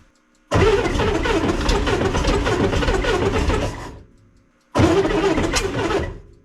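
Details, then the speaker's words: 1965 Corvair with twin carburetors, started after sitting all winter: two cranking bursts of rough, uneven grinding chug that fade as cranking slows, with no catch. It flooded a little; owner suspects a tired or loose starter. "sounds like the starter might be not doing so good well that was a that was good yeah it flooded a little bit huh"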